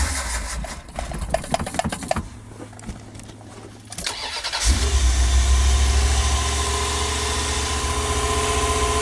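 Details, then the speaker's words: V8 with used Edelbrock 650 carburetor, unrun about 6 weeks, no choke hooked up: starter whirs, catches quickly and settles into a smooth even low rumble; starts right up, normal idle. "Um, it did start right up, run good, idle good. I didn't have a choke hooked up."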